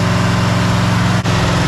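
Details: 1984 Chevy Silverado after swapping the 305 for a 350: deep, even V8 idle at about 12 degrees timing advance, steady with no misses. Earlier it died whenever it was idled down. Normal idle.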